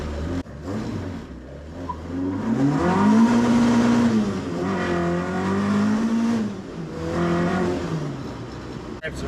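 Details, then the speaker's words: Ford Escort Mk1 with ST170 engine, just fitted new gearbox and paddle clutch, one spark plug suspected bad; revs climb then fall slowly instead of snapping back; hanging revs, owner suspects throttle cable adjustment too tight holding throttle off idle stop. "i need to adjust the throttle cable the revs are hanging on"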